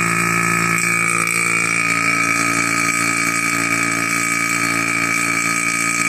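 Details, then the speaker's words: Single-stage 2.5 CFM mid-grade non-name-brand vacuum pump running: loud steady buzzing drone with a sharp whine, even and unchanging, no knocks; normal, reaches a little over -29. "quite loud quite loud and uh and it stays this sty it does not get any quieter"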